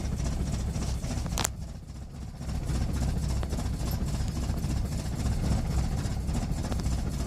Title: Rough idle